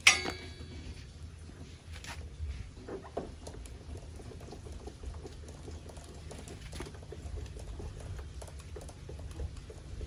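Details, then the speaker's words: Pacific Magenta electric bicycle rear suspension flexed after greasing the swing arm pivot and refitting the ring: squeak gone, only soft irregular taps and low hum remain, owner notes another noise still present. "Oke, suara hilang ya, suara udah hilang, udah nggak ada suara bunyi decit-decit,"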